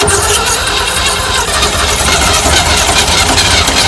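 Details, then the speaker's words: 1965 Chevy van six-cylinder, sitting 50 years, cranking with premium unleaded squirted in: rapid loud cranking with a few uneven catches but no steady run; hesitant firing. "Oh, it's gonna crank. It's gonna crank. Let me hit her again. That sounded promising there, I'll be honest with you."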